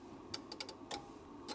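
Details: Sherwood RV-6030R A/V receiver: pressing on the front panel makes the power relay chatter, six sharp dry clicks in under two seconds over a quiet hiss. The unit powers up but won't stay on; a fault near the front face is suspected.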